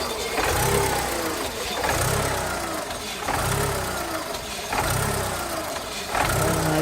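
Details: 2000 VW Polo 1.0 idling: idle surges and dips roughly every second and a half with uneven stumbling beat; misfire, cause unknown to owner.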